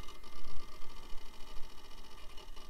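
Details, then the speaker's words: Packard Bell tower at first power-up after power supply check, posting and loading Windows 95: quick irregular crunchy head-seek chatter, normal healthy hard drive noise; BIOS battery dead. "and we're already [Music] posting and those are some happy hard drive sounds and yep of course we had a dead bios"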